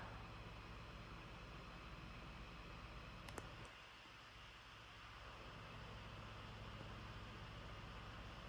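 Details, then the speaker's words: 16-inch MacBook Pro, i9, 32GB RAM, exporting a 700MB Final Cut Pro video: a steady rushing whir that briefly eases and returns, with no ticks or rattles, so the cooling fan is working hard under load and sounds normal. "MacBook, the i9 is definitely humming along. A lot of noise, as you can hear."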